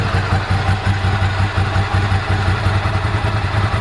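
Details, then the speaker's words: 1998 Ducati ST2, 10,596 miles, original exhaust about 73 dB at tick over after new clutch, fuel pump, HT leads, Brisk plugs: steady even lumpy twin idle, nearly three firing pulses a second, no clatter; healthy engine. "dB level, decibel level there, showing about 73 on tick over, about right."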